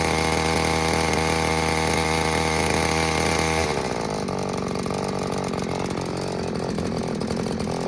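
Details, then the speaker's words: New Little Beaver TCS4600 chainsaw on its first-ever cold start after hours in a cold truck: choke and purge used, it pops, then runs at high idle for a five-minute break-in. Fast, steady two-stroke buzz with no misfire; normal. "let it run on high idle, chokes in. I'm gonna let it warm up for, well, at least a good 5 minutes while I get my gear on."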